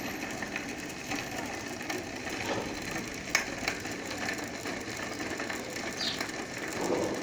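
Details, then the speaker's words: Bicycle wheel spun on stand, strange riding noise: fast ratcheting tick with irregular gritty clicks; broken hub bearing. "então é isso aí galera esse barulho e o que é esse barulho e rolamento quebrado eu vou mostrar pra vocês 100% de rolamento quebrados"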